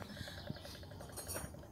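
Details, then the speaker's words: Bavaria 36 sailboat out of the water, saildrive prop turned by hand; faint irregular light rattle from the engine compartment with slight play in the prop; suspected worn propeller spline or saildrive bearing, not confirmed, oil drained to check for metal particles. "uh the noise we're hearing in the engine compartment i don't know if you can hear it it's like a little rattle and there's a little bit of play in um the prop"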